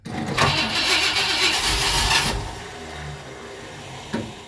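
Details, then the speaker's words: 1959 Ford Fairlane Galaxie 500 being started: loud rough burst about two seconds, then only a faint thump; intermittent cranking, starter suspected of acting up, valve train noise also questioned. "isn't it valve train noise oh I bet that's the uh starter I think the starter is acting up try it again"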